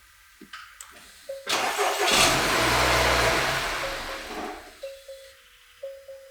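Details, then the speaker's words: Non-running 2021 Acura RDX A-Spec AWD, 20,000 miles, deer-damaged: engine cranks, catches and surges briefly, then sags and dies within seconds; gas pedal does nothing, many dash warnings; owner suspects a cause, unconfirmed. Starts then stalls. "well kinda doesn't stay running though"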